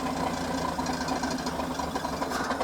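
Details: 1972 Toyota Land Cruiser FJ40, parked about 40 years after an unfinished clutch job, clutch engagement just adjusted: uneven, lumpy idle with a busy knocking grumble that stays rough and unhappy when put in gear; cause unclear, thermostat to be checked.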